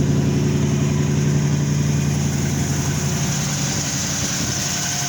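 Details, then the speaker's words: Chevy Caprice on cold start after alternator install, jump-started from another car's battery: deep, steady idle with loud, even exhaust rumble and no knocks or misses; engine runs healthy. "We're definitely running. Y'all hear them guns on the back? Cold start."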